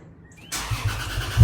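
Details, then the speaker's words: Lexus after fixing exhaust leak and crooked header bolts: quick crank straight into firm even idle with no ticking at the manifold; starts and runs cleanly. "All right, so we're going to let it run for a few minutes. Everything seems great."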